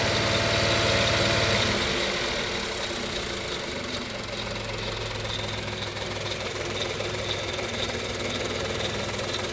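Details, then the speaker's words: Kia Picanto/Hyundai i10 1.0 G3LA petrol engine idling at only 70,000 km; steady metallic ticking rattle about four a second from the worn timing chain. Timing chain rattle. "Ciao in questo video volevo farti vedere un problema molto frequente sui motori 1000 g3la che monta la Kia Picanto e la Hyundai 10 ovvero il rumore della catena di distribuzione"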